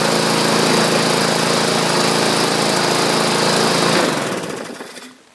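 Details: Murray 21-inch push mower taken in trade, after its numerous issues were corrected: the small single-cylinder engine runs at a steady, even high buzz, then winds down smoothly at shutoff. Normal running.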